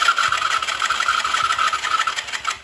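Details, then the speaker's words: eu vou regular o carburador tá esse carburador não tá regulado não rapaz colocou aí vou regular "eu vou regular o carburador tá esse carburador não tá regulado não rapaz colocou aí vou regular"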